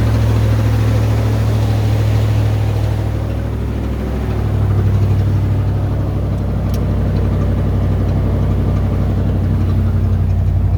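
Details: 1990 Ford Bronco engine running near idle with a steady low drone and a faint uneven pulsing; a weird noise whose source is not pinned down.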